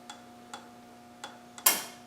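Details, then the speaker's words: Land Rover 300Tdi timing belt job, modified spring-loaded timing pin, engine turned by hand at pulley: light ticks then one sharp metallic ping as pin snaps into flywheel slot; timing spot on. "There, did you hear it? Spot on."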